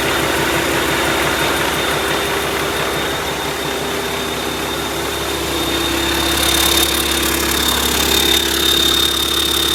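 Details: YaMZ-650 diesel engine on test bench, in for repair after a major overhaul done elsewhere: steady, even run with constant tone, no knocks or misses; sounds healthy.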